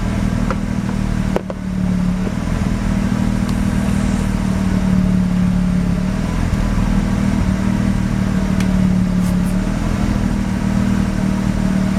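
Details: Mazda RX-7 rotary, failed annual inspection with extremely high CO (2.70): rough shaky idle, steady low drone with exhaust beat stumbling unevenly, misfiring mainly on slight throttle; no oil pressure, no leaks; ignition leads measured; cause unknown.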